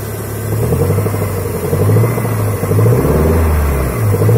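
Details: Toyota Sera 5E-FHE engine revving up and down: an uneven low knock rides on the rumble, engine knock with the cause not yet pinned down.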